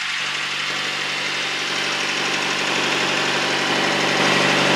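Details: Boat engine back in commission after fixing clogged carburetor, emergency battery, GPS and radio, on river sea trial: even, steady engine beat under heavy wind and water hiss, no misses or knocks; ran perfect, normal running.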